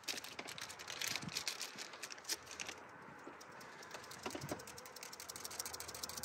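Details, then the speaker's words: Subaru PCV valve, new, being shaken: a light loose rattle of quick ticks from the free check ball, showing a good valve, unlike the old crusty rusty one that was silent when shaken. "that's what our PCV valve should sound like should rattle when we shake it"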